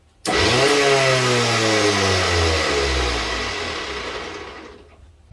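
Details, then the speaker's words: Pursuit 325DC bow thruster that was not working, run after replacing the fuse, indicator light now on; a loud, even electric whir starts abruptly, holds about four seconds, then winds down smoothly; thruster fixed and working normally. "Oh, light's on here. You're not going to be able to see it, but you'll hear it. She's loud."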